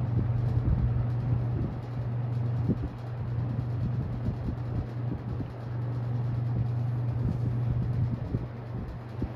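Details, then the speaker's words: Restored ~1977 Superlectric 2083 fan, first run, on medium: deep steady electrical buzz under the airflow; owner suspects a winding that had a loose wire. "all right furnace turned off which is good timing so we can hear the startup sound if there is any where's hi that's deep it's buzzing"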